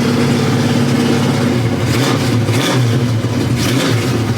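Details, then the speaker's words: 1970 Pontiac LeMans 455 V8 with Quadrajet carburetor, no choke, cold, after ignition trouble stranding: deep, even rumble swelling cleanly on throttle blips, no misfire or knock; normal cold running, needs throttle to idle. "Sounds good though, don't it? Also, no choke. So, you do have to give it a bit to be able to get this thing to idle without foot input."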